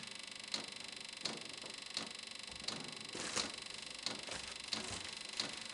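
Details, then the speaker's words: VEVOR Chinese diesel heater on first test run from a 12 V deep-cycle battery, starting after preheat: sharp light ticks about every 0.7 seconds over a quiet fan hum; normal fuel pump pulsing. "after i shot it on the preheat time it starts to run and i can hear the fuel pump pulsing"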